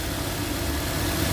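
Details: Toyota Avanza 1.5 G that had a crank-no-start fault with codes P1604 startability malfunction and U0167: steady, even idle with a smooth low hum and no knocks or misses; runs normally.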